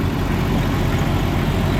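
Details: 1997 Jeep Cherokee XJ 4.0 inline-six after radiator and power steering replacement, fluid possibly low or overfull, an unidentified noise heard: steady, even idle with a smooth low drone, no squeal or knock; normal idle.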